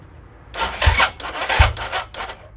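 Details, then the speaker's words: Suzuki SV650S during a build, battery at 11.7 V: slow, labouring crank with a couple of heavy thumps and a clicking relay; starter struggling, owner suspects a low battery. "sounds like the starting motor's struggling a bit I'm hearing the relay clicking"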